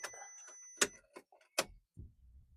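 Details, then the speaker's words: 1.9 TDI PD BLS engine swapped into Caddy replacing 2.0 SDI, first fire-up with full loom swap, low on fuel, no coolant: key-on clicks then faint low buzz of the lift pump priming normally. "can hear the lift pump priming. So, I am low on fuel."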